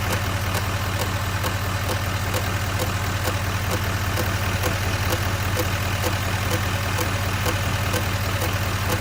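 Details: 2019 Silverado 2500 HD L5P diesel idling with a loud, sharp clicking or tapping about two and a half times a second from the front, over a low rumble; cause unknown before a dealer visit.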